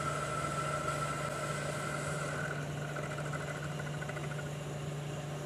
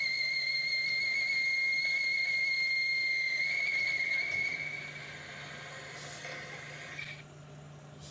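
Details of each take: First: 1973 Hardinge chucker lathe at about 800 RPM after switching to a bigger boring bar: a steady low hum with a light cutting hiss and no chatter or squeal, a smooth boring cut. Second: 1973 Hardinge chucker lathe boring with a boring bar: high, steady whistle with a fainter higher overtone for about four seconds, then fading; boring bar chattering in the cut.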